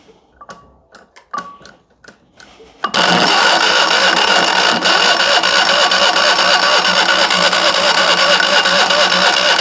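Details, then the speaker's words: Fiat 126p carbureted petrol engine fed only lamp kerosene as an experiment: a few clicks, then a long, even, high-pitched cranking whir that never catches. It will not start on kerosene alone. "więc okazało się że na samej nafcie on nie zapali"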